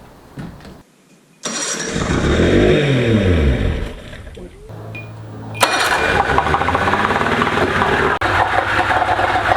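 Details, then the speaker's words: 1993 Evinrude 60hp two-stroke outboard on a 1984 Swiftcraft boat, first start after new battery and fuse: cranks, catches, buzzy run rising and dipping with throttle; runs, but no water discharge seen, suspected water pump problem. "I'm really happy that we got the engine started."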